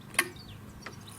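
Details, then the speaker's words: Farm rover with 24 V charger, batteries only partly charged: two sharp dry clicks about 0.7 s apart as drive starts, smooth and controllable; controller relay clicking on normally. "I think it is extremely controllable very smooth and has a little sort of a you can hear the relay clicking on and off when it starts so"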